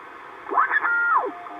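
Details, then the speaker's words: Icom 720A HF transceiver from an estate sale, powered on for the first time: whistling tones sweep down and up as the dial tunes across WWV over faint steady hiss; the receiver works normally. "looks like we have at least we know we have a radio that trans are receives"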